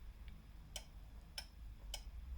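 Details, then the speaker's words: Honeywell portable heater that suddenly stopped working: LED on, only sharp thermostat ticks about every half second with no fan hum and no heat; fan not running. "But, the fan is not working. There's no heat coming from the unit."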